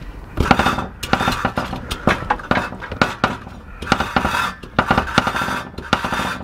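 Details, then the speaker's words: Mazda RX8 13B rotary with a running problem: knocking the exhaust gives sharp irregular metallic clatter, like loose catalytic converter substrate rattling in the shell; blocked cat suspected, later ruled out. "I just stuck a bloody uh thing in there to see if the cat which is that is flopping around but then when I hit the exhaust listen"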